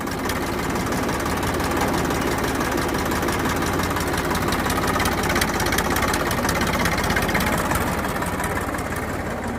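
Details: Rebuilt Massey Ferguson 241 diesel tractor, freshly overhauled engine still in break-in: even clatter with firm, regular beat, no misses or heavy knocks; normal diesel running.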